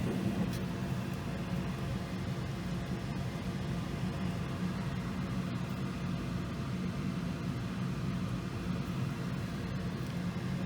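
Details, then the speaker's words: Goodman gas furnace with intermittent no-heat problem, during gas valve troubleshooting and replacement, firing from thermostat: steady low rush of burner flame and blower air, no rattles, surging or banging; running normally. "sure we hear the flame and the blower there goes the flame should be good all right we do have the blower on too"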